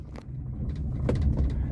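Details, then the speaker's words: 1978 Honda Civic, not started for a while, choke pulled and pedal pumped: low slightly uneven rumble settling into a steady cold idle, nothing untoward before it stalls; normal cold idle. "and uh yeah know she sounds good and you know uh like a little cold just a little cold"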